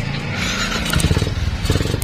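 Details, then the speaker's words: Sniper 135 motorcycle with hard starting and unsteady idle, fixed by scraping and re-seating a loose spark plug cap contact: engine catches and settles into steady, even putter with regular firing, no misses; running healthy now. "Kaya yun nga, tumino yung andar. Bali, spark plug cap lang pala yung sira ng motor na to."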